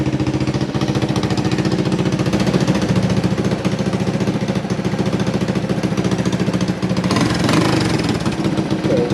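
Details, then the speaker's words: Honda ATC200S after valve clearance reset and carb service, warming up: steady even thumping single-cylinder idle at constant pace, no ticking, knocking or misses; sounds brand new, healthy. "Sounds like it's brand new. Just let her warm up for a second. Let her do her thing. Sounds like she's brand new, man."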